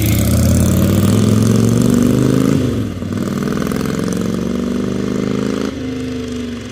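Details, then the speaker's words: Harley-Davidson Ironhead Sportster after ignition timing fix, checked with timing light, after test ride: V-twin loping evenly at idle, picking up smoothly on light blips and settling back without popping or stumbling. "so I'm back at the shop and this thing runs great"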